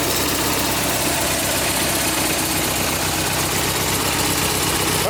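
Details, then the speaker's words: A tractor that sat all winter, now running on a GoldenMate 12.8 V 20 Ah LiFePO4 jump-pack battery, idles while warming up with a steady, even single-cylinder putter and no knocks or stumbles; this is normal. "All right, let's let it run for a little bit. And then I'll put the regular battery back."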